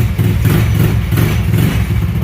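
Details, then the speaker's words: 150cc GY6 scooter trike, after sitting and being brought back on the road; small single burbles at idle with a steady even pulse, no knocks or rattles. Normal idle. "ready to rip this thing is ready to go it runs flawlessly so sounds good runs good it just needs a new owner"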